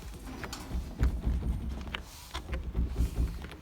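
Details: Renault Kangoo (2/3, K9K 1.5 dCi diesel) rear door rocked by hand, top already treated with anti-squeak tape but lower contact not yet: uneven creaks and soft knocks about every second; squeak from the untreated lower door contact.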